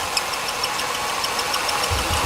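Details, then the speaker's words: 2002 Ford Taurus 3.0 brought in for an intermittent no-start, idling: a fast, even, belt-like chirping tick from the engine. It is felt at the cam sensor connector, so the cam sensor is judged to be going bad. "if I put my finger beside it the side where that goes on the wire connector it feels really smooth until I hear that chirping and then I feel it in that cam sensor so that cam sensor in this thing's actually going bad"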